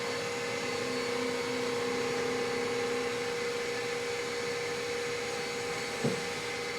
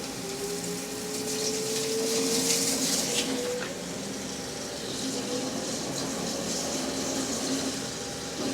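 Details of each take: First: Machining of 17-4 PH stainless steel flange bolts; a steady, even whirring tone under an air blast, no chatter or squeal, so the finishing spring pass is clean and healthy. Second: Peck drilling 17-4 PH stainless steel on a lathe at about 0.125 in pecks: a thin squeal rising in pitch over the cutting hiss as chips load up in the drill flutes.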